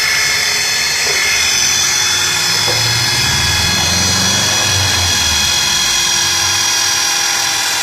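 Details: Nissan Tiida engine at start-up and idle: high, harsh grinding whine like a bench grinder sharpening a knife, from the accessory belt and pulley area at the front, louder when the accelerator is pressed; cause unconfirmed, not any pulley.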